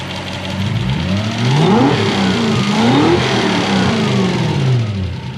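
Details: Toyota 1UZ-FE V8 swapped into a Mazda B2500 ute, with big injectors and twin fuel pressure regulators. Revs surge up and down unevenly with a rough, knocking clatter over them. Running rough; cause unclear.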